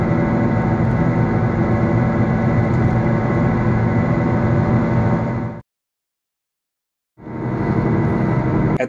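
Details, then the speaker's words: Steady droning howl over road noise while driving from a damaged wheel bearing; humming turns into whining at lower speeds and a loud howl or growl at higher speeds and load, before the final grinding stage. "and more load is put on the damaged wheel bearing it becomes a loud howling sound at some point it may also sound like growling all depending on how much the wheel bearing is damaged"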